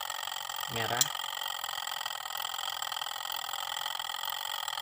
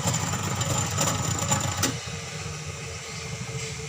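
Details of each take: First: Sharp twin-tub washing machine that would not wash, previously worked on by a non-specialist; with the wash motor wired directly, a steady, even motor hum holds one pitch with no knocking or grinding, so the motor runs normally. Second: Sharp two-tub washing machine, cover removed, spin side running: a loud rhythmic creaking squeak, about three a second, from the spin motor, then easing off; the wash side does not work.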